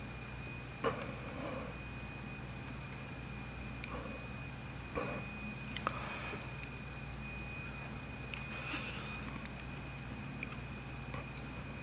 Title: Pioneer CT-W840R belt squeal?